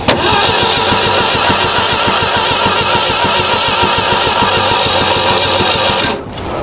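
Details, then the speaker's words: Ford Pinto-engined kit car, sitting outside since 1995, first start attempt on a cold evening: starter spins evenly about three beats a second for six seconds, never catches; ignition coil later found bad and replaced. "That was antilimactic, wasn't it? All right, it's the obviously next day. It's not night time anymore. Uh, I found that the coil was bad."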